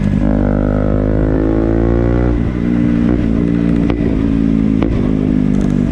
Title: Ktm duke making noise|winchester